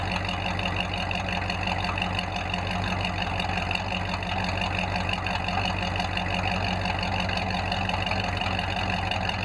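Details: Ford F5 (American V8) started after a long layoff and a check of engine oil, ATF and coolant: deep, even idle with steady low exhaust burble, no knocks or ticks; healthy.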